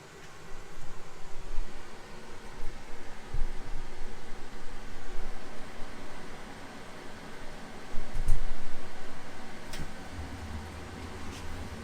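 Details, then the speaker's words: RV propane furnace after upgrading to a Honeywell Pro 1000 digital thermostat set to heat at 85: steady rushing airflow with low rumble holds even, warm air from vents; furnace ignited and blower runs normally. "just ignited means it working easy enough huh just feel an event down here warm air coming out so for sure ignited"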